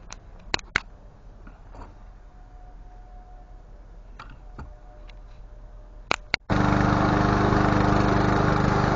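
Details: Lawn mower with a Honda GCV160 engine, after replacing a faulty ignition coil: a few clicks and quiet handling, then it starts and settles into a steady, even run at a constant pitch. Normal running after repair.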